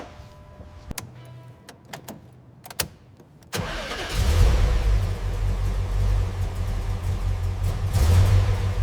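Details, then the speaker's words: Porsche 930 Turbo Slant Nose with air-cooled engine, first start after decades abandoned and fresh fluids: a few sharp clicks, then it fires and settles into a steady, deep rumbling idle with no knocks or misfires. "Yeah, we finally did it. Listen to that engine hum. Woo. It's beautiful."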